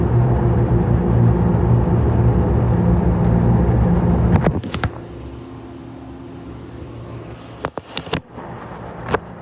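Heavy low rumble with rhythmic thumping about three times a second, then it drops away to a few loose knocks; the washer is shaking abnormally.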